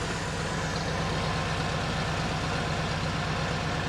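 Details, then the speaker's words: All-original 1966 Corvette with 63,600 miles, engine rebuilt in 1993 for unleaded fuel, at idle from the rear: even, steady low V8 burble, regular firing with no misses or knocks; now sounds smooth. "Nice smooth sounding car now. Sounds real good, Kurt."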